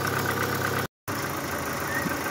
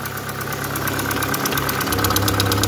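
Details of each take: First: Opel Astra G Coupé Bertone petrol engine idling smoothly and evenly after throttle body cleaning; the ticking/clattering (a lifter likely de-primed) has gone, valvetrain now quiet and healthy: normal idle. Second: Opel Astra G coupé Bertone idling while warming up after throttle body cleaning: fast, even light ticking in time with the engine, fading as it warms; owner suspects a hydraulic lifter lost its prime and plans thicker oil at the next change.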